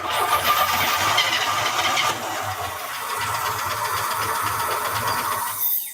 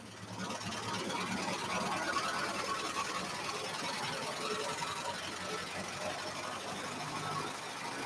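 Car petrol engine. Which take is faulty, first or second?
first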